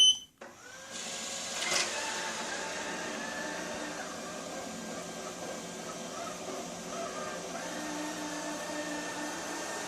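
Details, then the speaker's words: Pursonic i7 robot vacuum running onto carpet: steady high-pitched whirring motor with falling and rising tone, louder and seemingly struggling on carpet, cleaning less well. "It seems to have a little bit more noise going over it, not clean as well. Sounds like it's almost struggling when you can hear it hit the carpet."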